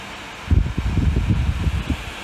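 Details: Dyson Hot and Cool fan heater, repaired with donor PCBs after a blown motor controller chip took out the microcontroller: soft, even airflow hush with some low buffeting, no rattle or grind; normal running.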